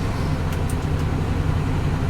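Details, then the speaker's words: Salvage-auction car idling on a cold day with AC on: steady, slightly fast idle with an even low rumble, no misses or knocks, then idling down as it warms. Normal high cold idle. "She's idling a little high, but it is cold out here, so we'll give it a few minutes. There she goes. She's idling down."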